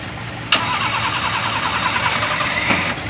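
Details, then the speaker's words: Toyota Corolla after repairing a starter that previously sounded like grinding: a short crank and the engine catches cleanly, then settles into an even run with no starter grinding. Normal start after the fix. "hindi na mahihiyang mag-start si boss ng umaga kasi kanina yung starter e akala mo may ginigiling na sabi ni boss ngayon wala na ginigiling"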